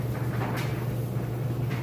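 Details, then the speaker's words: Used Whirlpool electric dryer on timed dry: steady low motor hum with soft, even tumbling thumps, no squeal or scrape; heats properly; normal tumbling. "you can hear it sounds great nice smooth operation and"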